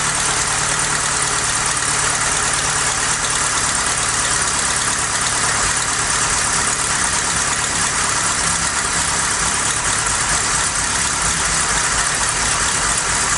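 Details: Ford Cortina Mk3 Estate with carburetor refitted, new vacuum pipe, gasket suspected worn: loud engine with ragged, uneven beat, no settled idle, smoky; running rough, still not right, before the carb rebuild kit.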